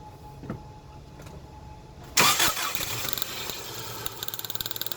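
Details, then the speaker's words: Running compression test at idle: engine catches, then a sharp regular snapping click about nine per second from a disconnected spark plug wire arcing to ground against the body. "you may hear that clicking. That's the spark plug wire that's off, grounding out against the body."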